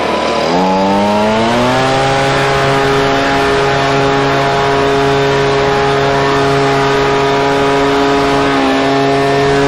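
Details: Husqvarna 125BV two-stroke leaf blower after new carburetor and filter fixed a blocked carb fuel passage, run at about 24°F with low and high speed mixtures richened slightly: revs up cleanly to a steady crisp high buzz, no stumbling; runs great.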